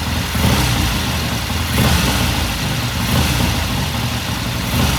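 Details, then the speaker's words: 1969 Triumph TR6 twin after cleaning the pilot jet and turning the pilot air screw half a turn, idling after a cold start: steady low idle with an even beat and slight rise and fall, no misses or knocks; normal warm idle. "It sounds good. I'm just going to let it sit here and idle for a while."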